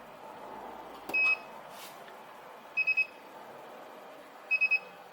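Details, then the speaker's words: Spot welder building an 18650 battery pack with nickel strip: one high beep, then triple beeps every couple of seconds in a quiet room as the welder recharges between welds, taking a few seconds. Normal recharge beeping. "the big thing that you can hear is the welding machine just charging back up again just takes a few seconds"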